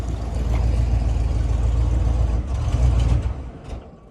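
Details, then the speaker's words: 1996 Ford V8 truck with 300,000 miles, at warm-up idle while watching for overheating with coolant possibly low: a deep uneven lope with stumbles and dropouts, a misfire. It seems to pick up cylinders as it warms; the cause is not confirmed. "Well, it sounds like it's picking up some extra cylinders as it sits here and warms up."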